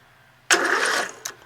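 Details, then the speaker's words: Rebuilt tractor with newly installed engine, starter and rewired harness, no fuel and magneto not connected; a short burst of brisk, even starter cranking without grinding or clicking, starter spins the engine strongly. "all right so we're going to crank it that's it there's no gas so it's not going to start and even if it did start i don't have the magneto connected so i can't shut it off"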